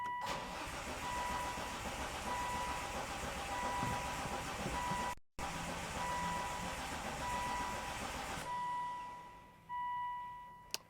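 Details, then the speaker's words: Volvo V70R after engine reinstall and manual swap, cam sensor and injectors reconnected: starter whirs on and on without catching; crank-no-start likely caused by unplugged crank sensor (rpm sensor signal missing). "I can feel that the crank sensor is not plugged in so that's definitely going to cause a no start"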